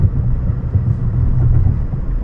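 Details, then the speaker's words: 2013 Nissan Altima, almost 200,000 miles, test drive around 40 mph: low droning hum under road rumble that increases when turning right, from a worn driver-side wheel bearing. "And left, I don't hear much, but right, I can hear sounds like humming increasing, and I know it's from the driver's side because it's right here."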